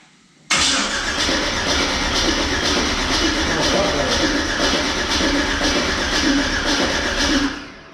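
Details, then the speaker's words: 1979 Pontiac Trans Am with LS swap and Holley Terminator X, first start attempt: starter turns the V8 over sluggishly for about seven seconds with an uneven, dragging rhythm and no catch; slow cranking from a low battery, charger to be added. "Battery sounds like it's getting low. And then put the charger on. Yeah. There's another battery where I might switch it out. It's cranking slow."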